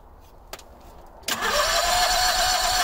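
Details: Howard Price Maverick 620 (Cub Cadet) utility vehicle in neutral, parking brake on, fed by a temporary electric fuel pump: the starter grinds at a steady four beats a second and the engine catches a couple of times but never runs. Owner suspects a gummed-up carburetor.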